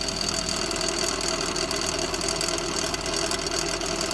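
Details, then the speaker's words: 2005-2013 C6 Chevrolet Corvette idling V8: loose rapid rattling knock about three a second, not an exhaust leak but a most likely failed driveshaft bearing inside the torque tube allowing excessive movement. "then no it's not an exhaust leak the bearing on the drive shaft within the torque tube has most likely gone bad and allows excessive movement"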